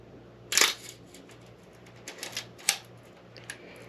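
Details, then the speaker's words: Old film camera being inspected before purchase, shutter at a slow speed; crisp, clean mechanical clicks with no drag or hesitation; shutter firing normally at slow speeds. "let's go down to a 60th and you'll for sure hear it here click click and 30th"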